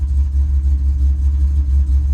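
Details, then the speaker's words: Ford Mustang Bullitt V8 warming up at idle after new spark plugs: deep, even burble with light throttle blips, smooth and steady with no misses; sounds much healthier than with the old plugs. "so basically the car sounds much better than it did with the old spark plugs so"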